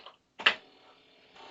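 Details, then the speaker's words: Commodore 2031 disk drive attached to a PET over IEEE-488, running a performance test that formats a disk: a sharp clack, then a faint steady whir and light chatter as it seeks and formats normally. "And you can hear it's accessing the 2031 disk drive and it's busy formatting the disk."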